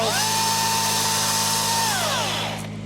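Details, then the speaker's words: Chainsaw on a maple pruning job holds a steady high buzz under cut, then the pitch drops smoothly as the throttle is released; it sounds normal, though they'll see how long it lasts. "saw at least sounds like it's supposed to. Yeah, I was gonna say it sounds normal."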